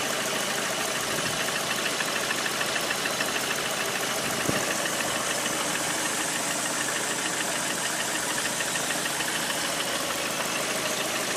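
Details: Lada Priora 126 engine, hot idle: steady, sharp diesel-like knock, about three a second. Service diagnosed worn piston groups needing replacement; pulling the cylinder 4 coil stopped the knock when cold. After repair the knock was gone; car sold at 100,000 km.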